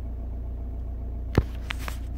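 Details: 2002 Audi A4 B6 1.9 TDI PD130 (AWX) diesel at idle: steady low rumble with an occasional sharp stumble, an intermittent idle misfire that was later solved.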